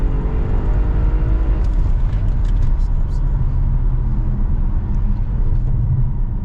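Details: Audi RS7 after cylinder 5 misfire fix, hard pull in manual mode: deep steady exhaust drone with no stumble, pop or hesitation and no check engine light; previously flashed misfire under hard acceleration when cold.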